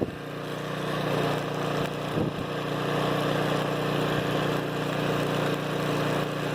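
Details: Flotec shallow well jet pump on 1¼-inch PVC with foot valve, about 19 ft well point, run from a generator: steady motor hum with rushing water at full flow with no hose nozzle; earlier lost prime sucking air, now holds prime; normal running.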